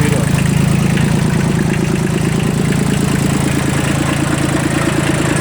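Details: Kubota L1802 Japanese 18 hp 4WD diesel mini tractor fitted with a 1.5 m rotary tiller: steady, even diesel clatter at a low, unchanging idle with no misses or knocks. Idles normally.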